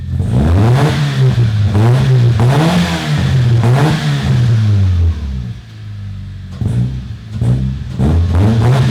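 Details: Toyota Corolla revved with a sparkler in the exhaust to test for flames: repeated clean blips, pitch rising and falling smoothly, no popping, misfire or backfire. No flames because there is not enough unburnt fuel; the engine is healthy.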